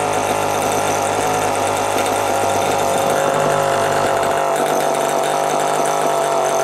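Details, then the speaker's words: Homelite EZ Automatic chainsaw with Walbro HDC carburetor, previously starting then dying, after carb rework, new fuel hoses and new air filter: constant high buzz at steady speed, no surging or stumbling; running well. "As you can hear, it's running pretty damn good right now. Needed an air filter."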